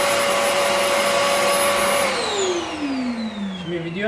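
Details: Rowenta Compact Power Cyclonic vacuum cleaner that previously whistled, motor checked (suspected loose motor): steady motor whine with no whistling, pitch falling smoothly as switched off; normal running.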